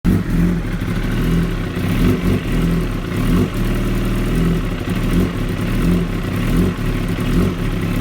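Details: 2016 Kawasaki ZX-10R: uneven, lumpy idle surging and dipping irregularly about once a second instead of a steady beat; very rough idle, cause unknown.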